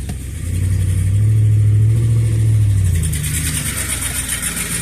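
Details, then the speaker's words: 2007 Ford F150, revving: engine rises and falls with a rough, puffing edge to the exhaust note, loud when revved; owner judges it an exhaust leak, not pinpointed. "Yep, definitely has an exhaust leak."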